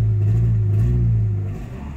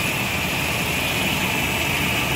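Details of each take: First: Nissan 2.4 pickup with loss of power: on throttle the engine holds a flat low drone without revs rising, then sags; faulty MAF sensor reading abnormally, fixed by fitting an original Nissan sensor. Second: Nissan 2.4 pickup after replacing a faulty MAF sensor with an original Nissan unit that caused power loss: steady even idle, no surges or misses, constant hiss; MAF now reads about 2.4 g/s, running normally.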